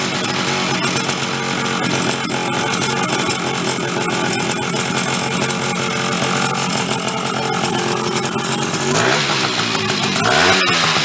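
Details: Chrysler Sno-Runner snow cycle (title says 1979, speaker says mid-70s), sat over 40 years, revived; two-stroke started on choke with a shot of old fuel, raspy buzz running on its own without dying; runs again.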